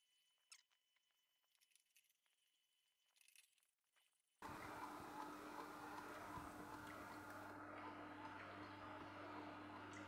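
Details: Sana 808 (Omega VSJ843) slow juicer juicing carrots, compared against a cheap copycat; steady low motor hum with even crunching as carrots feed; smooth, healthy run.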